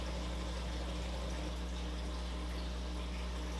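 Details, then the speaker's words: Aquavitro Sentia aquarium dosing pump filling its line to purge air before calibration. Steady low hum with faint watery hiss and no knocks or rattles; running normally. "So we're gonna say no, it's not full yet. Tap start to fill the line. I hear the doser working."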